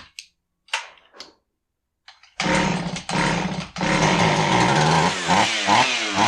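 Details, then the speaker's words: Husqvarna 445 chainsaw that bogged and wouldn't rev, after cleaning plugged low-speed carb circuit (likely old fuel) and setting low screw 1¾ turns out: fires after a few pulls and revs cleanly, strong rise and fall without stumbling; fixed. "r so it looks like our whole problem was that the low speed circuit was plugged up probably old fuel just starting to turn"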